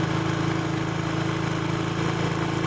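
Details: Motorcycle (tagged Passion Pro) with a cold-morning starting and stalling problem, after adjusting the carburetor air screw. A low, steady idle thrum with no dips or stumbles: normal idle.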